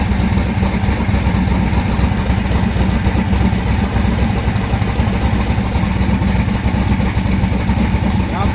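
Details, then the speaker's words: Austin's V8 car during tuning, no heat on one side's cylinders, front one weak: uneven lumpy loping idle; misfire, cylinder not firing. "Cool's not even firing some reason. So, coil, spark plug, or injector."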